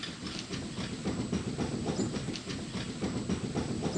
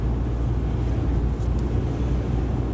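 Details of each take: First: 2009 Subaru Outback right front hub bearing, replaced only about a year earlier, wheel rocked by hand on a jack: quick clunks about three or four a second, rotor moving 1/16–1/8 inch; the worn bearing has excessive play. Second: 2009 Subaru Outback after front wheel bearing hub replacement, road test: only low even road rumble, no hum or growl; earlier noise at 45–50+ mph, gone over 55, caused by very loose bearing, now quiet.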